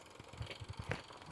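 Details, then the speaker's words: Restored Mamod TE1 toy steam traction engine at full regulator with drive band fitted; quick, soft, even chuffs with light hiss, smooth and regular, though the drive band slips slightly and a tighter one is wanted. "all righty she's going quite nicely now i think i just need to swap the drive band out for a slightly tighter one because it's slipping a little bit this is she's trembling around quite happily that's smooth regulator fully open"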